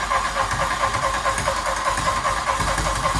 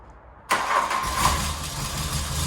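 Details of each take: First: Barn-find Mk1 VW Golf GTI rebuild, start on a jump pack and booster after fuel reached the engine: raw, loud, rapid popping bark with a rough edge at idle, running with no exhaust pipe fitted yet. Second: Barn-find Mk1 VW Golf GTI starting after the fuel tank filler neck was fitted and fuel primed, not yet serviced. It catches instantly and settles into an even, steady idle, sounding much better than before.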